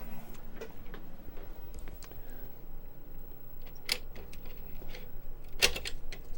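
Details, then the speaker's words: 35+-year-old Amiga 1000 floppy drive, reinstalled and asked for Kickstart: quiet irregular ticking and clicking as the head seeks without settling, and it fails to boot. "Okay, Amiga's asking for Kickstart. Oh, damn. Not working."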